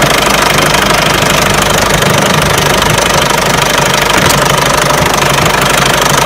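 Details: Peugeot 307 1.6 90 hp engine running: sharp regular metallic knocking about three per second; owner asks where the engine knock comes from, source unknown.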